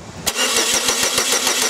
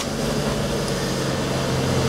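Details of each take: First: 2002 Chevy Cavalier with no scan-tool communication with the PCM and no check-engine light: steady starter cranking at about seven compression beats per second that never catches, and no spark jumps between the GM coil towers. Crank, no start, no spark. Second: 2002 Chevy Cavalier after crank-no-start with no PCM communication, traced to a fuse problem; engine now starts and runs with a smooth, even idle and constant low hum, no knocks or stumbles: normal idle.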